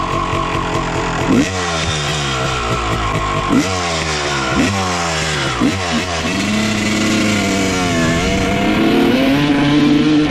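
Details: 1995 Honda CR250 two-stroke with stock jetting, needle clip raised one notch to second from top (leaner), power valves confirmed opening: revs climb then sag and flatten before recovering; slightly better but still bogging.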